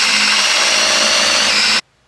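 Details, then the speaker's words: Newly built Keith Black aluminum 572 Hemi, oil system primed with a drill before the test-stand run, new oil pressure gauges fitted: steady high-pitched drill whine under even load, no bogging, clean stop; lots of oil flowing, priming normal. "Man, these things just a lot of oil going through there, folks."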